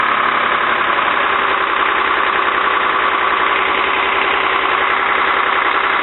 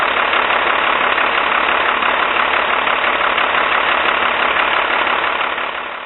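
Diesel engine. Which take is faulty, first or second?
second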